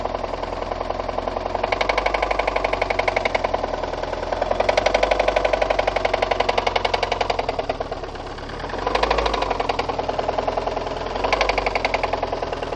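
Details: VAZ 2114 engine with spun connecting rod bearings on cylinders 2, 3 and 4 plus burnt valves: hard metallic knock tapping rapidly under the engine note, swelling with revs; rod knock.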